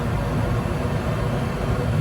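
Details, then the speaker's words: Goodman gas furnace, hot surface igniter lighting two burners: low soft roar builds and settles into an even rumble, no bang or delay; normal ignition. "Oh, yeah. Here comes ignition, baby. Oh, do it. Fire. Fire in a hole. Voila."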